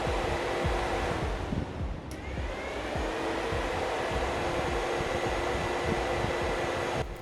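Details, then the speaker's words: Golf Mk1 with 2.0L 8v Dellorto-carbureted engine swap, new Mishimoto electric radiator fans tested by bypassing the temperature switch with 12 volts: even, steady rush of air over a faint hum, no rattle or scrape; fans healthy. "they are working excellently and pulling a lot of air so i don't think we are going to run into cooling issues anytime soon"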